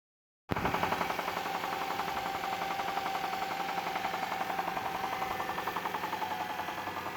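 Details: Engine idling with a steady, fairly even deep knock from the bottom end, about three to four per second; oil pressure intermittent, sometimes good and sometimes none; owner suspects rod knock, cause unconfirmed.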